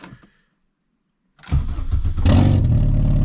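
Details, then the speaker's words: VW 2.0 2E engine with open cat: engine catches after short crank, blips and settles into a deep even rumble; loud but not insane, healthy. "It's loud, but it's not like insane, but just to give you a little idea. Again, 2.0 2E open cat on this car. You can hear how she sounds."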